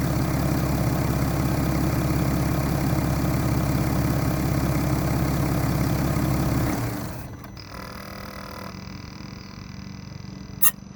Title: BMW N57 rod knock (F11 530xd 2011 @ 367 000km)